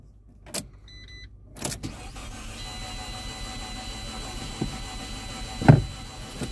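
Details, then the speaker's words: Auction car at start attempt: starter cranks in short bursts with a few stumbles but never catches despite plenty of fuel; owner suspects no compression or a broken timing belt; crank no start. "got plenty of gas almost like the timing belt might have broke almost sounded like it wanted to catch"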